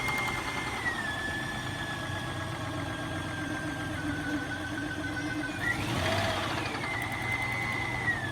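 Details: Nissan Xterra petrol engine idling with a fast, light rhythmic knock over a steady high whine that shifts with a blip; knock source unknown, spark and a cable checked.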